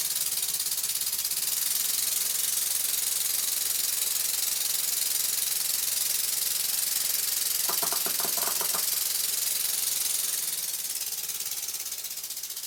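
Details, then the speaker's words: Small model steam locomotive ("Birmingham Dribbler") air engine running slow and fast with plenty of oil after cylinders and port faces re-lapped, running in: quick even chuffs nearly four a second over steady hiss, no knocks, sounds very sweet. "I run the engine slowly and fast with plenty of oil and as you can hear it sounds very sweet"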